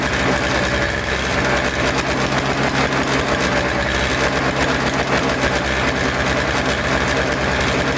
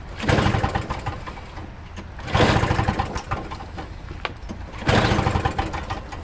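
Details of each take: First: Toro Snow Commander two-stroke snow thrower, with the fuel line reconnected, fresh fuel, choked and primed: buzzes at a fast, even idle with a steady level and no misses, running cleanly. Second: Toro Snow Commander snow thrower with a non-working electric starter, carburetor primed with two-stroke mix: three pull-start bursts about two and a half seconds apart, engine spins over but never catches; carburetor cleaning suspected needed.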